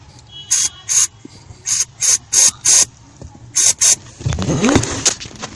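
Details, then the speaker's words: Clutch pedal: sharp squeak on each stroke from the dry pushrod pivot ball in its plastic housing behind the pedal, then hiss of lubricant spray applied to the pivot as the fix. "Pivot point ये प्लास्टिक के अंदर एक बॉल जैसा होता है, जो दबाने पे बॉल प्लास्टिक हाउसिंग के अंदर घूमती है। तो जब वो ड्राई हो जाती है, जब इससे आवाज़ आना स्टार्ट हो जाती है,"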